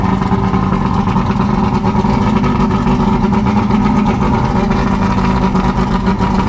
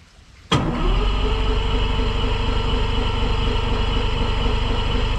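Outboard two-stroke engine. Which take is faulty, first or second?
second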